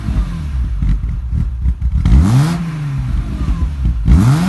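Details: BMW E36 M3 3.0 with aftermarket exhaust: uneven loping idle with irregular low pulses and two blips; rough idle due to unbalanced individual throttle body valves.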